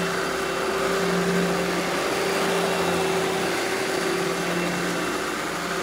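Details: Eureka The Boss Smart Vac upright vacuum, model 4870 type GZ, bought secondhand, belt replaced; switched on for a demo: smooth constant motor hum and steady whine, no rattles, squeals or surging; normal smooth running.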